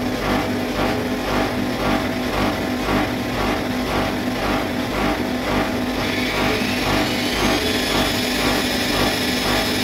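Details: Bosch Maxx 6 washing machine after motor bearing replacement, drum bearings still good: loud, rough spin with a pulsing beat of about two per second that grows harsher as speed rises; drum noise at high spin, which the owner believes means a broken drum.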